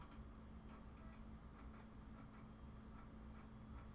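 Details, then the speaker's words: Vectra VL5 200 Pentium 1-era PC being wiped and reloaded: soft, evenly spaced ticks about twice a second over a low hum as the slow floppy drive steps and reads; normal floppy drive reading. "sure does because it's a floppy drive and it's not fast it's doing this thing"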